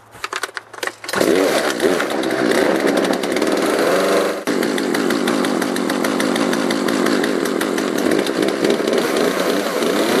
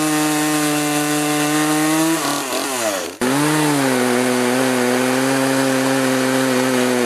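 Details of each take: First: Poulan 3818 38cc chainsaw with an 18-inch bar that starts right away on full choke: a buzzing run that climbs, then sags abruptly at top end. Bogging at high revs, to be fixed by carburetor mixture adjustment. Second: Poulan 3818 38cc chainsaw with 18in bar, after carburetor adjustment to cure bogging; high, steady scream that sags briefly as the chain bites into the log then picks straight back up, now cutting properly.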